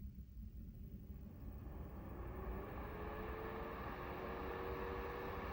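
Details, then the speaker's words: Razer Laptop Cooling Pad under a 2022 Razer Blade 15 Advanced, Intel 12800, RTX 3070 Ti, switched in Synapse from quiet to performance mode: a soft airy rush swells as a faint hum climbs in pitch; the fan is normal at the higher setting. "I'm going to pop it over to performance and you should hear it spike."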